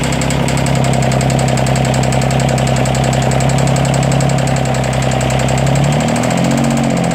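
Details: 332 diesel at idle: uneven lumpy beat with loud clicking about three or four a second over the clatter, intermittent misfire; owner suspects head gasket leak among other issues, unconfirmed.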